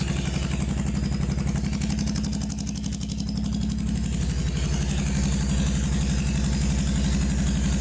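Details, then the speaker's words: Non-running Honda Shadow VT750 Spirit started on starter fluid: lumpy, uneven chuffing at about four beats a second; the rear cylinder warms while the front stays cold; a gummed-up front carburetor is suspected. "All right, I've got heat on rear cylinder, nothing coming up front. Front cold. Rear is getting warm, I can feel it."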